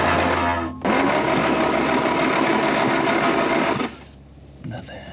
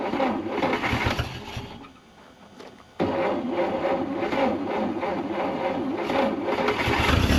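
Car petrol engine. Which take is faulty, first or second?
first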